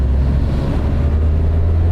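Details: Volvo 240 with 255,000 miles and a new clutch: deep, even low drone with no knock or miss and a little wind noise; running smoothly, shifting fine.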